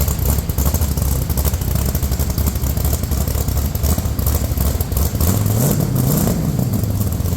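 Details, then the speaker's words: Rock Bouncer during complete nut-and-bolt restoration, running with newly finished exhaust with tips (Stingray exhaust); deep, even exhaust rumble at smooth idle, then a clean rev rising and falling, not too loud; engine runs healthy. "Oh, sounds good. Yeah. Hey, that sounds so good. Not too loud, but just loud enough."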